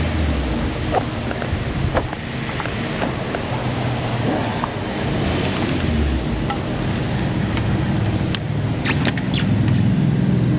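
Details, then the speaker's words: Mercedes C250 cooling system being filled and pressure tested with the engine off. It won't build pressure, and a steady rushing hiss is heard as coolant gushes out of a split driver's-side radiator tank. "oh yeah gushing out the radiator on the driver's side tank split down there"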